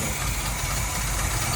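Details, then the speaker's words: 1983 Chevrolet C10 V8 parked 24 years, restarted with an aftermarket distributor and a used starter, oil pressure unknown, small fuel leak, clanking heard earlier: a low, heavy idle rumble that wavers and just hangs on. The idle is rough and the cause is unknown. "Man, yeah. It's going to idle. Maybe."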